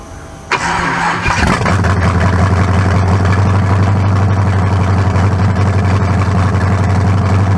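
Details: 1974 Chevy Nova rebuilt 40-over 350 (356) with forged low-compression pistons and new converter, run without turbos, first start: starter cranks briefly, V8 catches and settles into a strong, even, deep idle with no knocks or misses.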